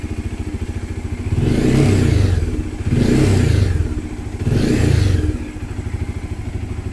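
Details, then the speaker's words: Bajaj Dominar 400 idling and blipped three times, a buzzy rattle joining each rev from a loose headlight panel; fixed by padding between headlight panel pieces. "tuturo ko sa inyo kung paano hanapin yung vibration sound sa ating mga dominar 4"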